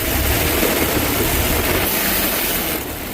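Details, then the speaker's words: Idling engine with a steady, hard knock about four per second under the rumble; spun rod bearing knock. "is a good one. Spun a bearing. Check this out. Sounds like"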